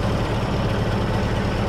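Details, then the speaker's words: 1913 Bugatti Type 22 Torpedo four-cylinder just started, settling into a low even idle on choke with no knocks or misses. Fuel has sat in the tank a year; choke setting is guesswork each time. Sounds healthy. "and you never know how much to choke it and if you flooded it or whatever right"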